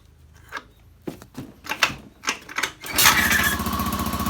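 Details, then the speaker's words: Honda Beat scooter with lost ignition, after replacing the CKP sensor; battery weak so kick-started: a few kicks, then it catches at once and settles into a steady, even idle; starts and runs normally. "Motor hidup, oke, motor hidup dengan normal. Ya, normal ya, real ya ini."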